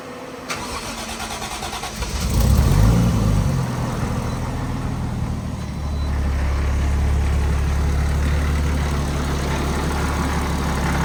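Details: First startup of the Crusader after a blown turbo was replaced with a same-size GT30 76-style turbo and a full service with new plugs and oil filter: brief crank, catches cleanly around two seconds, then a steady, even idle with no knocks or misses.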